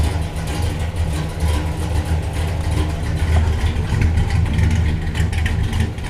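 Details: 1967 Buick Special with 415HP Blueprint 350 small-block Chevy, started after fuel tank cleaning and sending unit adjustment with new sock: deep, steady V8 rumble with no misses or stumbles; it pulls fuel and runs cleanly.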